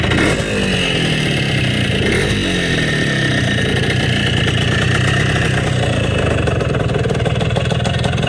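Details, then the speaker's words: Bultaco Matador, a 350 big bore, at idle: a crisp, even, throaty two-stroke burble with no misses or rattles. The motor sounds strong and clean. "Guys, it's a big bore. It's a 350. And it sounds like it too. Has a nice throaty growl."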